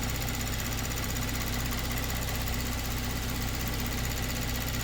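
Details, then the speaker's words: 2022 Kia Stinger, 32,000 on the clock, towed in for low power/limp mode with low fuel rail pressure: after the control valve is plugged back in and the engine restarted, a fast even ticking at idle shows the high-pressure fuel pump working normally again. "now I can actually hear that pump doing something now which before I'm sure it wasn't doing anything"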